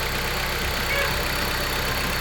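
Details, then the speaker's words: 2018 Dodge Journey 2.4L at idle after alternator replacement, microphone on the work light near the engine: quiet, even idle hum with no whine or grinding; charging reads 14.6–14.7 V; engine and charging system sound healthy. "14.6, 14.7. Everything's going pretty good. Yes. Sounds way better."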